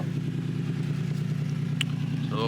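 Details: Nissan 350Z just after starter replacement, the old starter having ground and stuck on crank: steady, even low hum with no grinding or catching, a smooth settled idle; engine cranks and runs healthy.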